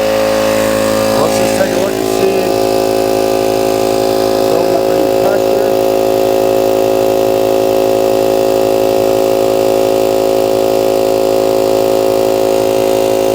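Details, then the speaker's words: 125 psi, 2.5 hp, 21-gallon air compressor, previously stuck at 40 psi, running with air cleaner and fan cover off: fast, even pumping about three strokes a second with steady motor hum, building pressure normally to 90 psi, cut-off usually 125. "tuster as you can see it's clearly building pressure now we're up to 90 PSI it does it'll stop generally at 125"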